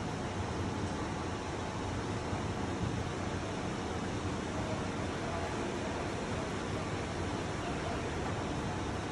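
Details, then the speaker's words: 12'x20' key-switch retractable stage drive motor lowering the stage with a steady, even low hum, no knocks or scraping; normal operation, hum stops when the down limit switch engages. "okay as you can see i'm still holding it down the system is all the way down but you do not hear the humming of the motor it's a very loud home not really but loud enough to where you can hear it so the limit switch has been engaged it cannot go down anymore"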